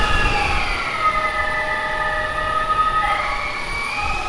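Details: Heavy-lift drone, first flight test, batteries not fully charged: several propeller tones wander and beat against each other instead of holding steady. The rotors are out of sync; the owner suspects PID tuning, unconfirmed.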